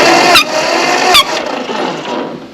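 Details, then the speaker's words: Ford 8N tractor that cranks but won't fire, cranked with the spark plugs out and a finger over the plug hole: two sharp puffs of air about a second apart blow past the finger, showing enough compression to run. "And you can put a gauge in it, but I just do the... Now you can hear that, but it's got enough force to blow out around my finger. So..."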